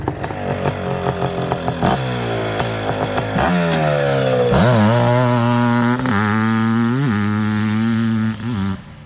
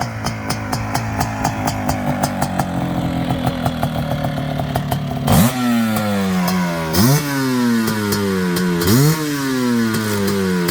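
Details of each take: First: Suzuki LT500R Quadzilla 500cc two-stroke after jetting; crisp revs climb and drop cleanly through throttle blips with no bogging; runs well, surprisingly quiet, normal running. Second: Suzuki LT500R Quadzilla 500cc two-stroke, FMF pipe, airbox lid off, 39mm PWK-style carb, 0.5mm over bore, warming up, reading about 170; crackly blips from burbly idle, cleaner as it warms, maybe rich; rough running when cold.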